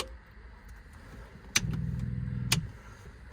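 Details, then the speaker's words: Lotus Elan first crank after a clutch job, gearbox input shaft seal and sump reseal, engine freshly oiled; about one second of rough grinding while cranking, never heard before, owner suspects the starter motor. "Right, that's not good. That feels like the starter motor. Haven't heard that noise before."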